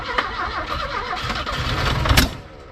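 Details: Abandoned Porsche 924 that had sat about 10 years and knocks when cranked: the starter churns steadily for two seconds, one brief cough, then dies; it cranks but won't fire and run. Cause not confirmed.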